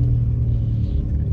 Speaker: si tu entends des claquements c'est qu'il y a potentiellement une rotule de morte tu vois là il y a pas l'air d'avoir de bruit spécifique on va dire